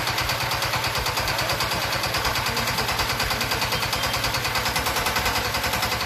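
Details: D15 S1100 single-cylinder diesel, hunting with heavy white smoke and hard starting; chugging about three beats a second with an uneven, stumbling rhythm, traced to the fuel system and poor injection from the injector.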